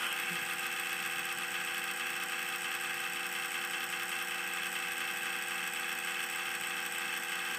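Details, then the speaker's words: Cooler Master Elite Power PSU in a Debian file server, powered on: thin, steady high-pitched buzz and whir with no low end; owner believes the power supply fan has failed; noisy PSU fan. "There's something wrong with the power supply. I believe the fan has decided to quit on me."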